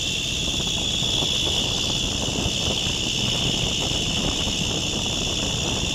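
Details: Oil-and-gas sweet gas cooler: constant high-pitched hiss and squeal over the fan's steady roar, speed unchanged; abnormal drive belt noise.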